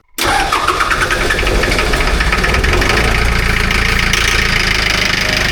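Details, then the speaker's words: 3-cylinder diesel amphibious ATV after a failed glow plug was welded shut; fires almost instantly into a steady, even diesel clatter without long cranking, starting way better than the first time. "It did start better today. Shut it off. It did start way better just now. Like way better than the first time I rode it."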